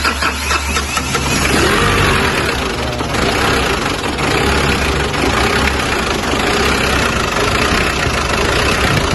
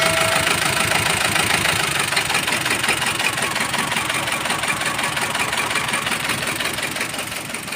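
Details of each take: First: Mazda BT-50 diesel after repair (loose turbo cartridge; weak solenoid/vacuum valve ground rewired to body): starts and settles into a steady, even idle clatter with no knocking, no longer stalling; normal idle. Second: Mazda BT-50 diesel with rough sound, cabin-wide vibration and no power: harsh idle with an uneven knock nearly three per second clattering over the engine. Cause found was a broken camshaft and rocker.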